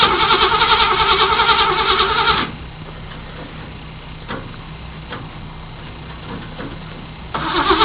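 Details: 1978 Chevy Camaro, factory stock, very hard start with lots of smoke: loud cranking over two seconds, a quiet gap, then more cranking without catching; hard start, prolonged cranking.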